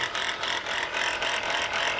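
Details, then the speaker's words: Running engine, noise under the engine area: fast, dry metallic rattling and ticking that tracks engine speed; alternator bearing is shot, pulley visibly bouncing, with brown residue around it. "From the looks of this and the sound of this, look like the alternator bearing is shot."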